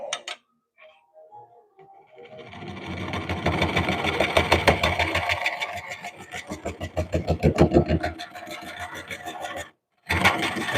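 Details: Lathe turning a cracked cork oak bowl, with the crack running down into the bowl. The gouge rasps in a rough, uneven rhythm of about three hits a second; a crack catching the tool is suspected but not confirmed.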